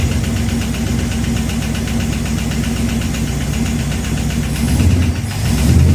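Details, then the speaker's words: 1969 Plymouth Fury III engine after rear main seal replacement: steady idle with uneven light ticking from engine front; owner suspects metal piece behind harmonic balancer hitting or bent, now thinks it's inside the cover; unconfirmed. "I still still hear the sound starting to think it's uh it's inside the cover"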